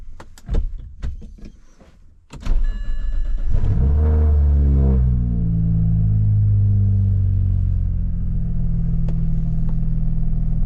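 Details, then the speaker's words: BMW 335i after replacing and coding injectors on cylinders 1–3 for intermittent misfires: cranks, catches, revs, then settles to a steady idle with no misses; behaviour under load still untested. "it's running better no like breakups or anything it seems to be running fine"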